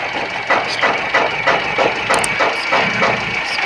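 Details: Car idling in the workshop: rhythmic stumble about three times a second, a misfire; coils and injectors were checked and two bad spark plugs were found as the cause.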